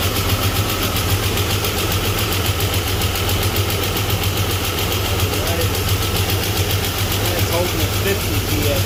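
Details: Chevy S-10 donor engine after setting ignition timing and reinstalling plugs and wires, oil possibly diluted with gas and oil pressure low: steady low rumble with an even firing beat and no knocks or misses, a normal idle.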